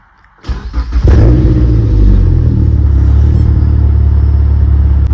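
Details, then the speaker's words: Mazdaspeed 3, cylinder 3 misfire chase, after swapping coil packs between cylinders 3 and 2: brief crank, catches cleanly, steady even idle, no rough idle or stalling, sounds way better; normal start. "Doing good so far. Hear the startup? Sounds way better."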